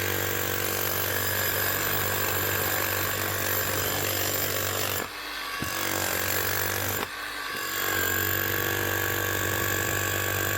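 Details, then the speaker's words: Metabo MHEV 5 BL brushless demolition hammer after new con rod, bearing and O-rings, chisel now locking: steady hammering about four blows a second, weak at first until grease spreads; working properly. "that's her running hammering locking the Chisel Hammer way starts off a little bit weak as they actually start running the begin with that'll keep getting stronger now the more that Hammer's run"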